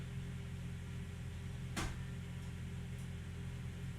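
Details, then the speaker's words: Mercedes ML55 AMG W163 after installing a used transfer case, engine running: single sharp click over a low steady hum as the transfer case shifts from low back into normal range and locks in. Slightly loud; normal shift engagement. "See if you can hear the click. Yeah, you hear it click in. That might have been a little loud, but let me try that again. All right, clicks."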